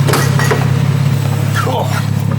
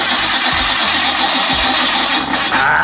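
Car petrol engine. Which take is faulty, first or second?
second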